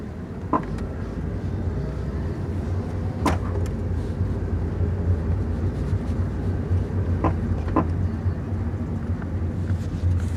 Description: My Car makes weird popping noise..does this every now and then.